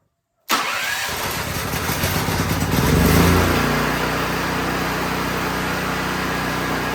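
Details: Firman T07571 generator, brought in running rough with white smoke, after troubleshooting, maintenance and oil top-up: catches at once, surges briefly, settles to a smooth even idle without knocking; some startup smoke, possible blow-by; runs properly.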